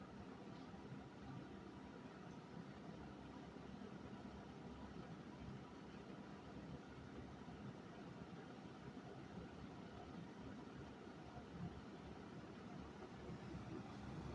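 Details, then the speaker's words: 1973 Kmart 20" box fan, model P-23, with its motor air openings completely plugged for years and the case rusty outside: a quiet, smooth, even whirr with no knocking, rattling or surging, so the motor still runs nearly perfectly. "But let's fire it up. Despite how neglected it is, it still runs pretty much perfect."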